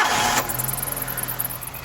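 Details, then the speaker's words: Normal start of a 1997 Suzuki X90 1.6 litre engine (60-something hp, viscous fan, throttle cables): short crank whirr, catches at once and settles to a smooth, even idle with steady low pulses. "this is it, the 1.6 litre engine running. It's a very smooth engine, I'll give it points for that."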